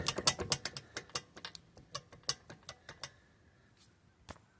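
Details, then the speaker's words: Ford Mustang SN95 (suspected heat shield scrubbing at first): sharp irregular metallic clicks, about a dozen in a few seconds with the engine off, as the wheel shifts on loose lug nuts; tightening them stopped the movement and noise. "for reference I tighten the lug nuts and now there's no movement get a little bit of brake drag no movement now so that's what that noise was"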